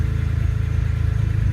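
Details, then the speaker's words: BMW E30 M3 with an S54 swap: it primes, fires, then leans out and dies at idle from fuel starvation because the fuel pump relay isn't grounded; it stays running with the ground connected, to be bolted to the ECU ground point. "it'll go full in and it'll die out you can see it right now losing Fuel and there it dies"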